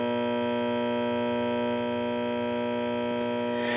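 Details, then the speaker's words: Late-1965 Epiphone EA-32RVT Comet tube guitar amp with new power capacitors: steady low ground-loop hum with unchanging overtones; grounding the power-capacitor ground to the center-tap point lessens the noise only very slightly. "There's a minute difference in noise, lessens the noise when this is hooked up."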